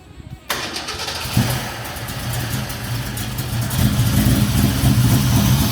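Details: Classic Mustang fastback: brief crank, then a steady, even lumpy idle with no knocking or ticking; healthy but running super rich, needs learn time.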